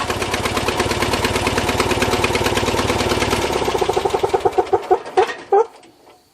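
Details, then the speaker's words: John Deere 400 lawn tractor with intermittent no-start, after cleaning corroded wiring connections: catches and runs evenly a few seconds, then stumbles and dies; owner suspects the ignition switch. "have been a fluke let's try it again you hear it it stumbled it may still be the switch"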